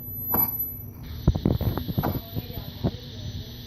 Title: Popping noise on Msuper v3 s 1300wh